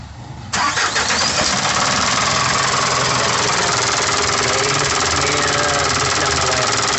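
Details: Isuzu 4KH1 diesel that had a no-start complaint: brief crank, then the engine catches at once and settles into a steady, even diesel clatter; it starts and idles properly.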